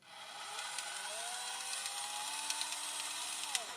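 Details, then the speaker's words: FMS FCX24 RC crawler in low gear: high-pitched gear whine with rough clicking and grinding, while high gear runs fine; gearbox opened and a stripped gear found; new parts ordered. "when I select the low gear this is happening do you hear the extra sound it is making like a clicking grinding sound"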